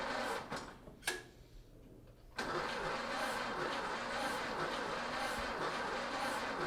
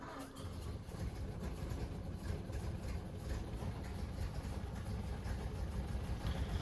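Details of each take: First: 1930 Ford Model A, first start attempt after sitting seven years: slow, even cranking at about two beats a second for eight seconds without catching; crank no-start. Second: 1930 Ford Model A four-cylinder after sitting seven years, now re-timed: soft low steady chug, even with no missing beats or clatter; idling smoothly.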